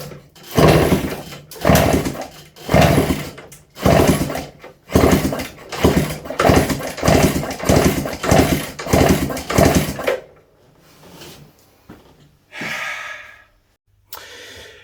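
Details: Suzuki TF185 farm bike, unrun for 10 years, after spark plug cleaned, spark checked, carb refilled, sticky rusty throttle: about ten hard kick-start strokes, each a short churning burst, never fires; fuel drips from exhaust port, plug not dripping with fuel; cause unconfirmed.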